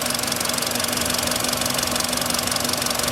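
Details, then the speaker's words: Warm running engine, 58,559 km, sharp regular ticking knock about four times a second; lifters checked firm, cause found as cylinder 1 spark plug whose insulator came loose, likely overtightened, fitted about 20,000 km ago. "вот так что когда появляется стук первым делом проверяйте свечи"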